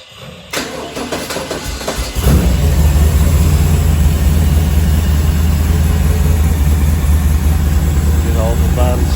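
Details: Small-block Chevy V8 on an engine run stand with Sniper EFI and HyperSpark ignition, fuel pump primed: starter cranks briefly, engine catches and settles into a smooth, steady low idle; normal start.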